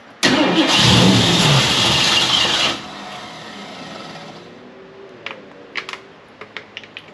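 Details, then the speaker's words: 1969 Ford Mustang Fastback, first start in 30 years, Mallory ignition, fuel poured into carburetor: loud roar about two seconds then dies to faint ticks; won't keep idling, backfired through carburetor and exhaust. "I wish I could get it to idle longer, but that's fine."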